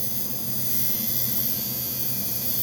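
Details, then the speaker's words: Cheap $7 Chinese coil tattoo liner with the needle now added, buzzing steadily but slowed by the needle's drag to 97 cycles per second at 45% duty. "you hear the difference let me let me mess around with it a little bit it went to 97 cycles per second at 45 duty"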